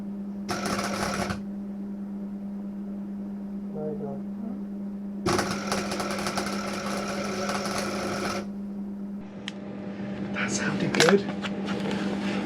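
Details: MIG welding patch panels into the rusted chassis of a Subaru WRX wagon during restoration: two bursts of even, steady arc crackle and hiss over a constant low hum; smooth, consistent weld run.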